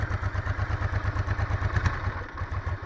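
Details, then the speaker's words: 1996 Honda NTV 650 barn find, sat six or seven years, carburetors cleaned, old fuel, throttle blocked open to keep it alive while warming; low uneven loping thumps falter near stalling, light smoke puffing. "okay i will not it will die i and i have to jump start it so i have the throttle blocked up a little"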